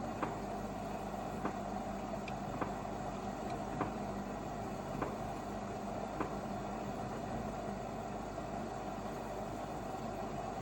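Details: AEG 8000 front-loader: drum hum with sharp knock about every 1.2 seconds, once per turn, only when turning counter-clockwise; persisted after removing detergent ball, cause unknown.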